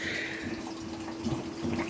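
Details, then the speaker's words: LG washing machine with a dishwasher drain pump replacing the failed pump: steady low hum under rushing, gurgling water, no strain or rattle, emptying the tub fast and normally. "um this sounds like a dishwasher when it drains now. And boy, it drains fast. It doesn't seem to bother it either."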